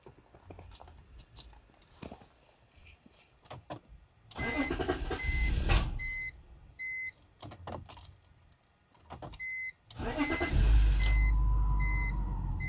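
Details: BMW 325xi: door chime beeps, then long stretches of steady cranking that never catches; crank no start, or starts then shuts off, runs on starting fluid; in-tank fuel pump sounds weak when primed, owner suspects the fuel pump.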